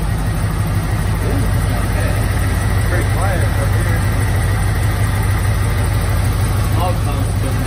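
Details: 1986 Ford F-150 idling after about 15 years parked in a shop and a fuel pump swap: low, steady, quiet rumble with no knocks, misses or hunting; normal smooth idle.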